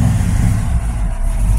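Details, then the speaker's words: Small-block Chevy in chassis-swapped 4x4, after valve springs replaced (120 closed, 310 open) at machine shop to cure springs losing cam contact. Deep, strong rev, no lifter tick or valve clatter; valve train noise gone, plenty of oil pressure. "Zippy enough it'll make the belt squeal but as you can see there's no more valve train noise"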